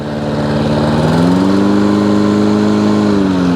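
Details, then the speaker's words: Hayter 56 Pro mower that would not reach full speed, possibly tipped or overfilled with oil: after lifting the governor arm at tickover, the single-cylinder engine climbs smoothly to a steady higher pitch and runs properly at full revs. "a bit more that's better we like that"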